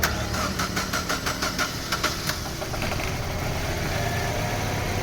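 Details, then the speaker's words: Chevrolet Aveo manual with hard start and low power: cranks and catches into an uneven, heavily vibrating idle with irregular stumbling pulses; misfire. "Ayon so Ayan po mga kalb kita naman natin na sobrang vibration ang andar ng makina ngayon"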